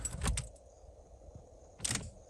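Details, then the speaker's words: 1996 Honda Odyssey RA1 that cranks but won't start (new plugs, wires and rotor, no spark; distributor suspected): at key-on, sharp relay clicks then a faint hum as the fuel pump primes normally. "You hear it humming, and you can hear the main relay working because you can hear it clicking."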